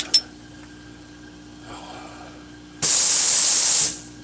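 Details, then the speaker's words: Blue Thunder engine during a compression test: a hose with a Schrader valve fitting is screwed into cylinder 2 or 4, where the valve is supposed to be closed. About a second of loud, steady, high hiss as air escapes past an exhaust valve that isn't sealing. "that's insane how much noise that's making all right i've got that hose screwed into a cylinder cylinder 2 4 that closed valve is supposed to be closed"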